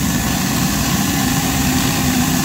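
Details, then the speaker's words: Boiler burner blower fan: steady roar with a rough, fluttering plastic-like rattle low down, caused by plastic sucked into the air intake. The sound changes once it is removed, and reduced airflow may have sooted the igniter. "이게 뭔 소리인 거 같아요 이거 그래 어 프 됐 뭐 비닐 소리 같지"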